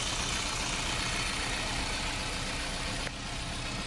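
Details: 2005 Toyota Premio petrol engine idling with an uneven, stumbling low beat: engine misfire at idle.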